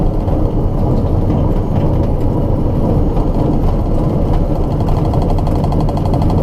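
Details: Light aircraft taxiing on the ground after landing on the first flight after its annual: a steady low rumble with a rough, gritty metal-grinding undertone and vibration, not noticed before takeoff. The cause is unknown.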